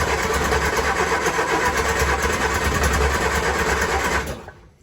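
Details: 1966 Triumph Spitfire (Mk II per title, Mark I per owner) that won't idle and has timing, carburetor, throttle-linkage and battery problems: on choke during timing checks it runs uneven and sputtering with a rough fast-idle beat, then cuts out abruptly. Cause unconfirmed.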